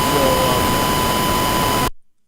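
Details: Lekato 5.8 guitar wireless fed a test tone from Reaper at high level, before trying -10 and -50 levels: steady tone buried in harsh hiss with buzzy overtones, then abrupt cutoff; input overdriven, overload distortion.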